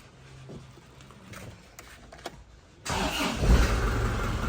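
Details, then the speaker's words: 2003 Panther Touring turbo diesel (in use from 2004), engine dry with no oil leaks. Silence, then the diesel catches and settles into a steady, even low rumble with no knocks or misses; its characteristic old Panther turbo sound, a healthy idle. "Suara mesinnya masih ciri khas banget ya, masih ciri khasnya Panther turbo tahun tua."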